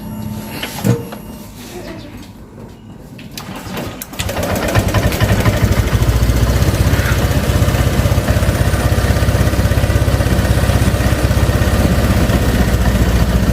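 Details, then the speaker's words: Honda Vario 125, piston possibly oversize, compression restored and throttle body cleaned: cold start catches after rough cranking, then uneven lumpy idle, nearly dies unless throttled, normal after ~3 minutes warm-up; cold-start fuelling fault, larger injector considered. "susah Nah dia harus kita panasin begini agak mati ya kalau kita gas ya"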